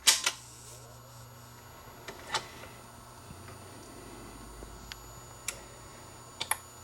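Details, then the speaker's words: Dual 1219 turntable changer, repaired after a slightly bent copper strip kept the motor from shutting off: quiet scattered clicks and clunks over a faint hum as it starts up. Changer cycling normally, auto or manual. "so i'll run it through the mechanism automatically or even if i do it manually pick it up it'll start playing all right and i stop it it'll stop as you can see start up"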